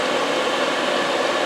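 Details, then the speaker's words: Owner's diesel air heater, which fails in the cold, on the bench: steady airy fan roar holding constant full-speed tone, no scraping or wobble; blower runs properly. "Well, as you can hear, getting up to speed."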